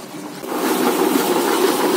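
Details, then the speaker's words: Washing machine run manually without its control module, switched by a light switch, on wash-drain: spin starts while water drains, motor hum climbing in speed as load lightens and water empties — normal spin-up while draining. "Ini udah mulai lebih kering, lebih ringan, putarannya lebih cepat."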